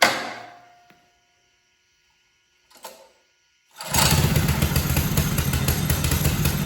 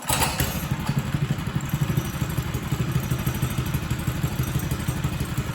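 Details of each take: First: Mega Moto minibike with a 212cc single-cylinder engine after an ultrasonic carburetor cleaning removed dirt: it catches and settles into a steady, even run with no surging or stumbling. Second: Mega Moto minibike 212cc engine after carburetor cleaning, cold start on choke: uneven thumping, loping irregular firing, running rough; owner says it is always cold-blooded and needs time on choke to warm up.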